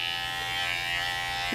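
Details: Cordless barber hair clipper runs with a harsh, rattly buzz, louder and raspier than a healthy clipper, as its motor performance has diminished.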